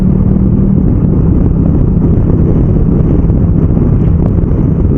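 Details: Motorcycle on the road changing up gears without the clutch and down with it, blipping the revs on downshifts, under heavy wind rush. Engine pitch steps cleanly at each shift with no clunk or crunch; normal clutchless gear changes.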